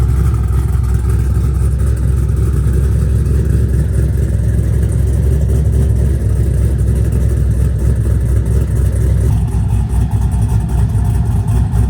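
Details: Chevrolet Silverado 6.0 V8 rebuilt after failing lifters, new Texas Speed cam kit, exhaust fitted: deep loud choppy idle loping steadily, no ticking or knocking; healthy normal cammed idle.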